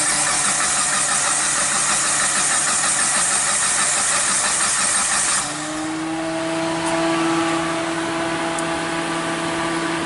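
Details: Mitsubishi Lancer CS3 with 4G18, about 2003–2006, stalled while driving: steady starter cranking about three turns a second that never catches; no DTC, no spark, cam signal present but no crank signal; failed crankshaft position sensor, crank no start.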